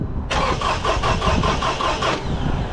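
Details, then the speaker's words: 2006 Toyota RAV4 with a crank-no-start complaint; the crankshaft sensor was replaced but the code may remain. The starter spins the engine fast and evenly with no compression, then stops. The timing chain appears to be off, with the phaser ripped to pieces. "So, you see that? That is spinning, but there's no chain on it or something. The phase is ripped in pieces."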